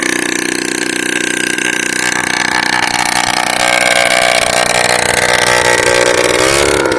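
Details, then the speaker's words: Old Honda Lead scooter, first start in 10 years with new spark plug and battery: loud buzzy two-stroke running with ragged beat and drifting pitch, rough; oil present, owner suspects carburetor set to maximum. "A ježišmarja. Hučí to strašne. Jako to sa nedá ani počúvať."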